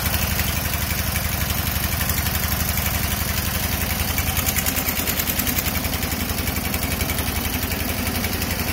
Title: No compression